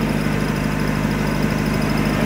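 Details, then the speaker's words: 1994 Toyota 22RE four-cylinder pickup bought for parts, possibly water in distributor cap making it slow to start: steady, even idle with smooth low hum, no knocks or misses; engine sounds healthy. "esta es la troca el motor se escucha muy bonito ahorita vamos arrancar lo que es el motor"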